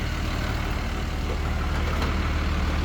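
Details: 2006 Dodge Ram 2500 5.9L Cummins diesel, after replacing fuel injectors, rail and lines and adjusting valve lash for power loss, near operating temperature: steady even diesel clatter at idle, no misses or knocks, no leaks.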